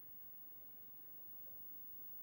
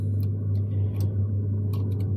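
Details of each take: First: Home boiler zone valve control motor powered on: near silence, a couple of clicks, then a low steady hum as it slowly drives the valve fully open; working normally, slow travel apparently normal. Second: Home boiler heating zone valve control motor, set to manual, not opening earlier: steady low electrical hum with faint ticks as it drives very weakly and slowly fully open; sluggish actuator, to be swapped anyway.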